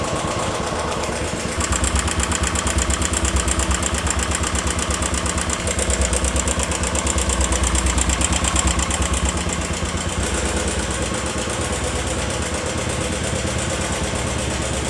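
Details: 2.5-year-old 2018 Royal Enfield Classic 500 Stealth Black at idle: quick, even tick-tick from the top of the engine; owner suspects hydraulic tappet noise, not confirmed.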